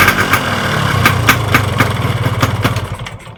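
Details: Yamaha RX-King two-stroke motorcycle at rough idle with a loose, irregular clatter of about four knocks per second ("klotok klotok"); worn crankshaft with play in all directions, worn connecting rod and piston, causing noise and vibration.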